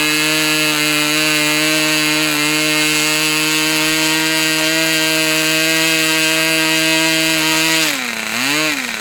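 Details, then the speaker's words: Customer's Fox twin-cylinder glow model engine after leaning low-speed needle about three clicks: high steady scream held about eight seconds, then revs dip and wobble; running cleanly, a good run. "Okay. So, there's a good run. What I want to do now Since things are going so well, I'm going to let this engine cool down once again."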